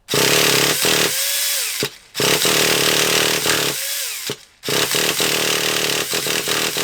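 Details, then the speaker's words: Traxxas Revo 3.3 nitro RC car, cranked indoors: repeated two-second buzzing cranking bursts with pauses, never catching; fuel can be smelled trying to burn, the engine is thought to need heat. "I think we are gonna need a bit of a heat on it I can smell the fuel you know I can smell it trying to burn so he's trying to burn"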